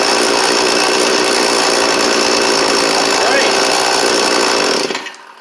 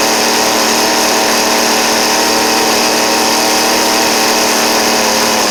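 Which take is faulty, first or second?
second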